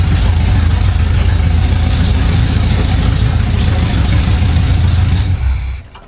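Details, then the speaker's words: 1975 Chevy Monza 2+2 with a transplanted 350 small-block V8, sitting 20 years: after fixing the distributor it runs a deep, even idle with steady firing and no misses or knocks, then shuts off; running healthy. "Well, it looks like that did it. The distributor was the problem. Woo-wee! He sounds mean."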